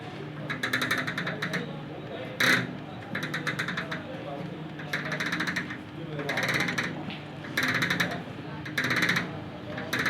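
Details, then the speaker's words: Orient microwave oven running with water inside: bursts of fast rattling come and go over a steady hum, from its cooling fan, which proved very loose when the oven was opened. "ये इसके अंदर से जो आवाज़ है, जहाँ तक मेरा ख्याल है, इसकी फ़ैन की आवाज़ आ रही है। कभी आती कभी रुक जाती है।"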